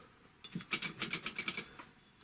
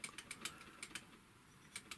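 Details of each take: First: Typical GC6150H industrial sewing machine turned by hand: quick dry scratchy ticks from under the handwheel pulley, caused by a hand-sewing needle and thread wad caught there, scraping. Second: Typical GC6150H industrial sewing machine, handwheel rocked back and forth by hand: light paired metallic ticks from the hook basket tapping its positioning finger, normal on all machines; a rustle under the pulley remains unexplained.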